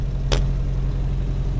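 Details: 1951 Henry J survivor idling after revival, oil pressure and amp warning lights out: low, smooth idle rumble holding steady with one brief click, no knock or stumble; old engine idles fine.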